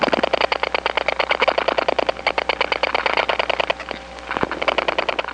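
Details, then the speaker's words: Bursts of sharp, evenly spaced clicks about ten a second on a quiet line, heard in the receiver after dialing two digits on a step-by-step line (1976-1981 analog network): other subscribers' dial pulses leaking between trunks. "this is the sound of other subscribers s dialing away it's being Amplified onto the trunks because this is a step-by-step environment and the pulses that go along these trunks are so strong that they do leak from one trunk to [Applause] another"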